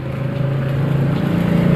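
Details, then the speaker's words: Honda Beat FI scooter with no ignition spark, at key-on: a steady low hum with a faint pulse builds over two seconds. Fuel pump is priming normally, so that circuit is OK. "Saya cek dulu pulpam-nya dengung atau tidak ya. Ini bunyi ini berarti jalur yang ke sini normal ya."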